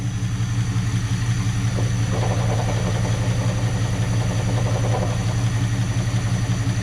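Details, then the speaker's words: 1976 Chevrolet Scottsdale K20 3/4-ton 4x4 V8 with Holley carburetor, first run after 20 years sitting, oil pressure about 15: loud deep idle with a faint rattle coming and going; unidentified noise, knock on revving noted, cause unknown. "what is that noise why does it go away"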